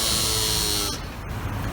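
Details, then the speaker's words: R56 Mini Cooper: harsh, steady electric buzz after engine shutoff that cuts out abruptly; suspected faulty turbocharger wastegate control solenoid, a common cause, not confirmed. "it's R56 came in with a buzzing noise that occurs when you turn off the engine um common problem with this is the wastegate control solenoid for the turbocharger"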